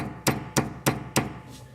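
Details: Nissan Juke with a phantom front suspension knock over small bumps, tie rod ends new: four sharp, hollow knocks about three a second as the steering linkage is rocked by hand; worn steering rack bushing.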